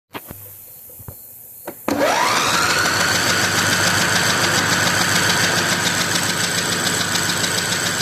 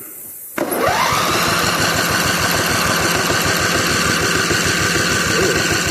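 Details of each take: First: Older Simplicity Broadmoor, 16 hp Briggs & Stratton V-twin that cranks but won't start despite spark and fuel, compression test: starter cranks evenly without firing; cylinder 2 under 30 psi, later found to have a bent intake pushrod. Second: Simplicity Broadmoor older mower, 16 hp Briggs & Stratton V-twin that cranks but won't start (has spark and fuel), compression tester on first cylinder while cranking: even chuff about four per second, strokes alike; excellent compression on this side.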